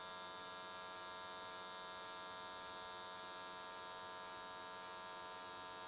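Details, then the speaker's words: S13 catch can welded with AC TIG, 95 Hz square wave, new settings: steady, even buzzing hum with a fine crisp edge, no popping or wandering. Normal, stable arc; the welds turned out nicely. "i think 95 hertz on square wave was a pretty good choice um went the whole way around in that in that one session"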